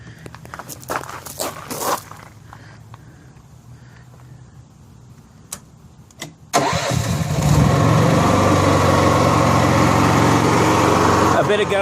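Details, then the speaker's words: Honda EXW171S gas welder/generator, farm-sale find, starting after fuel filter with battery installed. Fires first try into an even idle without surging; earlier surging was cured by adjusting the too-lean carburetor idle screws. "so after I adjusted the idle screws on the carburetor they quit surging it was just too lean"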